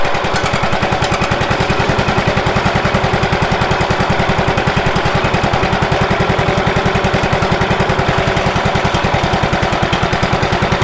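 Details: Late-1990s Wood-Mizer LT15 sawmill petrol engine, long-stored, after maintenance and a hand-tightened fitting/washer of uncertain condition: fast even firing pulses at constant speed, no misses or knocks: normal running.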